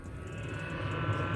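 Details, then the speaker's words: Diesel heater fitted in a VW T4, switched off after running hot: on the shutdown cool-down cycle the fan whirs steadily with a smooth tone that creeps upward as it speeds up; normal. "that thing gets a bit faster."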